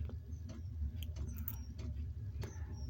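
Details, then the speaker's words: Diesel heater aboard a boat, started after a long idle period in cold conditions, slower to light than usual: faint irregular ticking of the dosing pump over a low hum, speeding up as it picks up; normal startup. "She's they say she's going tick, tick, tick. In a minute she'll pick up. There she is. She's speeding up now. There you can hear the pump."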